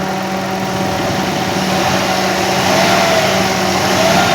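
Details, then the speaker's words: New Mitsubishi Mirage G4 (about one kilometre) whose drive belt failed early, aircon checked: engine revs smoothly with a steady hum and no belt squeal or chirp; the belt is damaged, the pulley dirty, and a factory defect is suspected. "Wala naman itong ingay, sir. Wala namang maingay. Wala."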